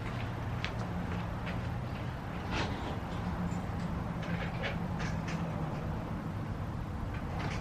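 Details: 1995 Nissan Hardbody truck after replacing the starter and moving the battery and relay box to the bed: the engine catches and settles into a steady, even low rumble with no stumbling or misfire; a healthy idle.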